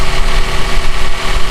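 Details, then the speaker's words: Toyota Avanza with AC switched on: loud, deep, steady growl from the AC compressor, cabin not cooling well, worse when engine is hot at standstill; noisy, rough-running AC compressor. "kalau ACD nyalain si kompresor AC Itu berisik banget Nah suaranya kayak gini"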